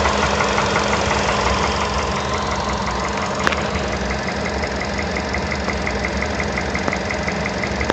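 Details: VW Polo Sedan: a sharp, regular ticking knock about three times a second over a steady idle. The owner suspects a piston knock, not confirmed. Engine knock at idle.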